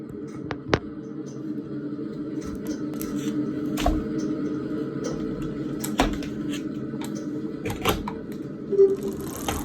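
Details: Elite Direto X smart trainer after 3 days of use: steady whirring hum with sharp irregular knocks roughly every second or two.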